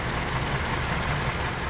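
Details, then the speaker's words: 2005 Hyundai Sonata 2.4 petrol, 169,000 km, check engine light on: uneven stumbling idle with a missing pulse; cylinder 4 misfire traced to a dead ignition coil, confirmed by swapping coils between cylinders 3 and 4. "so let's just get on the side and you can see we've got a dead coil so like I showed you before even though the cut line was okay it doesn't mean that that cool is actually firing the plug properly"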